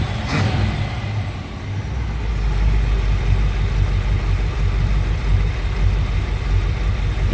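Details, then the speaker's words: 1964 Chevrolet Impala V8 with new Edelbrock 600 cfm 1406 carburetor replacing the Rochester 4G, warmed up and re-tuned: steady deep burble with an even beat, no misses or knocks; normal idle. "let me start it up for you guys now that I think I might have it dialed in a little better. Okay, there we go. That's what we want."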